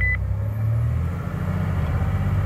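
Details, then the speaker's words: 1991 Ford F150 4.9L during real-time tuning, idle table set to 5000 so the idle air control valve passes as much air as it can: steady low drone held at a raised idle with no hunting or misfire. "the maximum i think you can go is obviously as much air as you can get through that iac just go to 5000 upload that"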